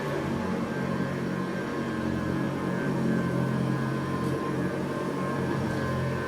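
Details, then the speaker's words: Vintage Eureka Montgomery Ward SP-824A 3.5 amp vacuum, possibly 1950s–60s, motor rebuilt by a collector, new brush, temporary Sanitaire bag: steady even motor hum, high whine and airflow rush, no rubbing or rattle; sounds brand new. "God sounds exactly like a 3.5 amp sanitaire thanks to the seller and the collector who rebuilt the motor it sounds like brand new"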